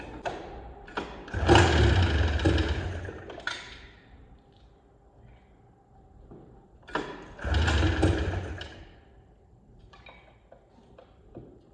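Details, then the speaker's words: Arctic Cat Jag 3000 two-stroke snowmobile, long abandoned, carb primed by squeeze bottle, throttle cable not yet hooked up: two recoil pulls, several seconds of thudding cranking with no catch; owner thinks it sounded dry, then suspects flooding. "Maybe give it a little more juice. Sounded really dry. I think I flooded it a little."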